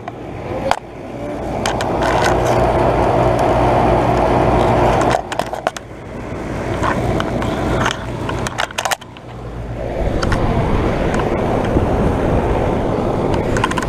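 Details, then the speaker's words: 2012 Bryant Legacy air conditioner outdoor unit, first startup of 2022 cooling season: loud steady roar with fast rattle about four per second rising and falling; unit shaking, cause not identified. "It's not sweaty yet. It's kind of shaking. You can actually hear it."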